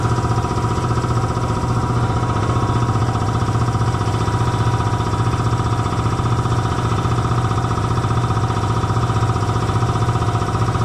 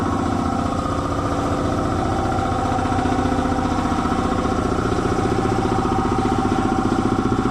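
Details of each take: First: Belt-driven air compressor after oil change and drive-belt tightening: steady, even pumping thump around four beats a second with low hum, no slap or squeal, reaching 175 psi cut-off; normal running after fix. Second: Belt-driven air compressor after oil change to synthetic, running under load: steady piston chug about two and a half strokes a second that sags and slows; drive belt found very loose, later tightened.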